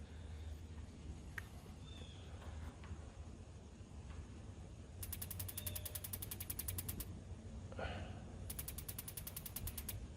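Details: Kingdura 48,000 BTU propane pyramid patio heater: two two-second bursts of rapid sharp ticking, about ten a second, with no whoosh of flame; igniter sparks but pilot fails to light.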